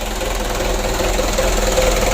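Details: Freshly rebuilt 120 PS 4D34 diesel running in at idle after its first start: steady, even light clatter with no uneven knocks or misses, running cleanly.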